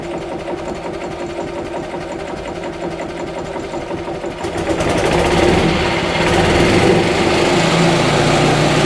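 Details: Rebuilt Yamaha G29 golf cart engine after final assembly, first start in neutral: small single-cylinder fires and settles into quick fairly even putter, about four beats a second, no misses.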